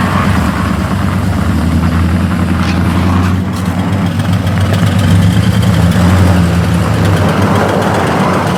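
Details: LS V8 truck at idle, cam previously installed by someone else: lumpy, loping idle with irregular tapping over a deep rumble. Suspected seized lifter in its bore, possibly from incorrect lifters; unconfirmed.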